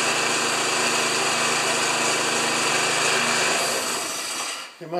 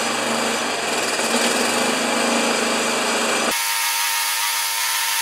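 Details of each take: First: Old Briggs lawn mower with power-rake thatcher after replacing thatcher springs, set a quarter inch above the grass: steady, even buzz at constant speed for several seconds, then winds down at shutoff; runs smoothly. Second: Old Briggs thatcher mower started with dirty air filter removed, primed, expected to smoke: small engine buzzes at a steady pitch, then sags and recovers twice unevenly; running rough and hunting.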